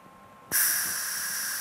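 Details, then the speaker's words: Eastwood MIG 175 welder, mic right by the torch: even shielding-gas hiss for a little over a second after the trigger is let go; the fixed, non-adjustable post-flow is working normally. "it just illustrates that your post flow is working this welder set up with it it's not an adjustment which is fine I don't ever have to think about it"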